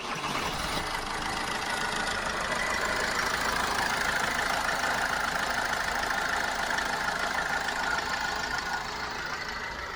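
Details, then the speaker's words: Toyota RAV4 from a car exchange, black oil, slow cold start: light, even ticking about three a second at idle, a bit rattly top end when coming off the power; sounds like a hydraulic lifter, lifter treatment and fresh oil suggested. "when you're driving it and you come off the power you can hear it's a bit rattly top end wise but it doesn't sound bad now actually"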